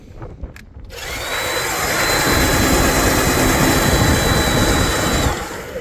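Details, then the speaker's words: Gardena 380 LI lithium cordless reel mower after its stiff reel was traced to dry, sticky bearings and fixed: with the battery back in, the motor spins the reel up to an even whir with no grinding or rattle, then coasts down freely; healthy. "Now let's hear what it sounds like now. Bet you it sounds a lot happier. Oh, look at that. Beautiful."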